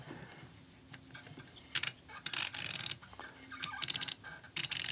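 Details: SK million-tooth ratcheting screwdriver on a backdrag testing machine, low backdrag about 275: bursts of fine, rapid, crisp ticking as the handle swings back and forth; ratchet pawl working normally.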